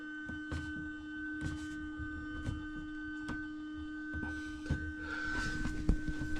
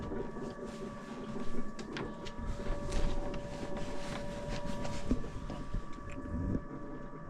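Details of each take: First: Motorhome fresh-water pump (Truma system) unused for years, tank previously dry; steady mid-pitched electric hum with light clicks, no water flowing, suspected airlock or pump run dry and possibly ruined. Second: Motorhome fresh-water pump, system unused for years, after clearing the airlock; steady low buzzing hum with faint creaks and water movement, running normally, fault was the airlock.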